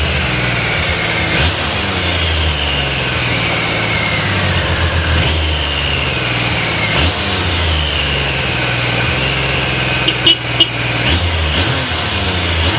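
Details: Used Triumph Sprint 900 motorcycle for sale, started on one press of the starter; crisp exhaust note rising and falling smoothly with each throttle blip, settling to an even idle, healthy normal exhaust sound when revving.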